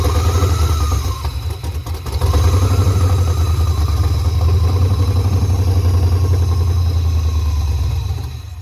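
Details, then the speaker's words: OBS Chevy truck with 6.0 LS swap, first start on sprayed starter fluid because fuel pump too weak and rusty tank clogged system: catches, heavy low rumble for several seconds, then fades out; no fuel supply. "We've been doing it off of good old starter fluid because the pump wasn't strong enough."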